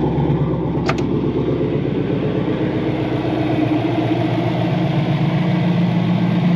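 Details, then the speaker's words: 1989 Mustang notchback with a twin-turbo Coyote V8 swap, no mufflers and 3in straight pipe into twin 2.5in pipes, warm idle: a steady, even, loud open-exhaust burble with no knocks or misses; normal idle. "it's actually pretty quiet idling away considering there are no Mufflers on this car it is straight pipe 3in wide into the two two and a halfs"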